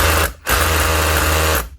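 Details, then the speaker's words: Makita 242 hammer drill, customer reports the motor intermittently stops dead (suspected bad contact or switch): running unloaded gives a coarse, fast rattling buzz, pause, then same rough chatter; this hammer action sounds rough even new, normal for the model. "Now these Makitas, even when new, these 242s sound terrible. Never like the sound of the hammer action. Sounds so rough. But the actual performance of the drill, can't really fault it, to be honest."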